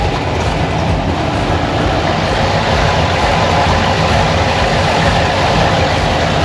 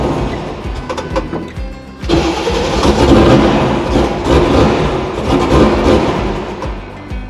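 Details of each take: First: 6.2 LS V8 swapped into square-body crawler on Holley Terminator X, first time heard running in the vehicle: deep V8 burble with steady, lumpy but even beat, no misses or knocks; idling properly. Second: 6.2 LS V8 swapped into square-body crawler, first start on Holley Terminator X after wizard setup and idle reset: loud V8 catches then surges and sags, won't settle to idle.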